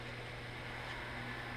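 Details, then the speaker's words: New Teknatool Comet II midi lathe after its 30 to 45 minute brush break-in: low, even hum with a faint steady whistle and no knocks or grinding; motor now dead quiet compared with its whiny start. "And at this point, man, it's dead quiet. It just kind of makes a little whistle."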